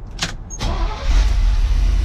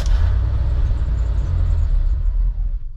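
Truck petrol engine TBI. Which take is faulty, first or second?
second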